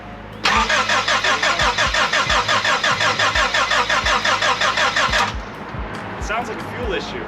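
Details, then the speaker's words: Rebuilt engine's first start in a Honda Civic with new timing belt, water pump, drive belts and adjusted valves, little fuel: steady starter cranking about three beats a second for five seconds, no firing; no spark, a plug possibly loose. "go ahead there's no spark huh there's no spark"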